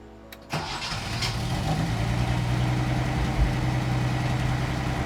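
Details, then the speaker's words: 48-year-old Datsun 240Z, 4-speed, long abandoned, after complete fuel hose replacement, in neutral: starts on its own with no starting fluid, a short crank then catches at once into a steady, even low idle; starts cleanly. "So let's turn it on. And keep in mind, this is turning it on by itself with no starting fluid, no nothing."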